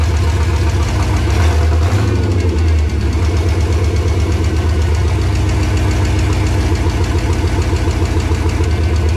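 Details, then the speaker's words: LS V8 swapped into a 1986 Chevrolet C10, first start after topping off fluids, no exhaust fitted yet: loud, deep open-pipe rumble, catches quickly, holds steady smooth idle with no misses and no leaks. Normal idle, no exhaust. "hell yeah no leaks started right up what a feet now we gotta get some exhaust on the damn thing"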